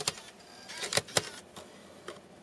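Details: Mac Mini running Snow Leopard with slot-load drive, burned DVD inserted: a few sharp clicks and a short motor whirr as the disc is pulled in and tries to spin up; owner reports it then rejects burned discs but plays retail DVDs.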